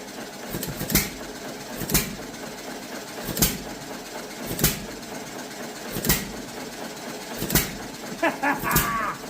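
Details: Antique John Deere Model E hit-and-miss engine, first run, winter in Nebraska: sharp firing pops about forty a minute with quiet coasting between them; normal healthy hit-and-miss running.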